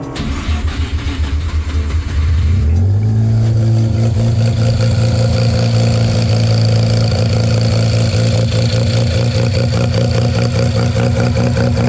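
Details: 13B rotary with EMPI IDA carburetor after replacing faulty fuel regulator and setting glass-ball needle seat float level high: catches after short crank, strong even idle with steady blips; fuel delivery right, normal running.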